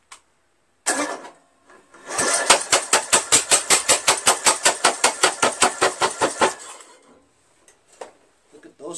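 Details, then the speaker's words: Craftsman lawn tractor with Briggs 17.5 HP engine, new ignition coil gapped with a business card, muffler off: steady cranking at about two and a half compressions a second, never firing; muffler and coil ruled out, timing suspected. "not the muffler not the coil I think it's still the timing"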